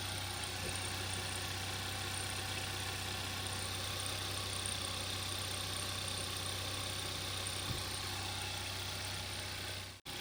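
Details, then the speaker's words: 2012 Hyundai Veloster 1.6 turbo G4FJ manual, first start after engine teardown and reassembly for a knocking noise: idles steadily with even hum and light hiss, no knocking heard. "start it starts and I think there's no knocking noise"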